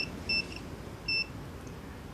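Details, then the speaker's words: Nissan Navara D40 transfer case sensor, cause of 4WD light coming on while driving, tested with a multimeter: no continuity when extended, and pressed it gives broken short beeps instead of a steady tone; faulty switch, replaced with new sensor. "And as you can see, we got no continuity when the switch is extended. And we push it down. We got a very broken signal."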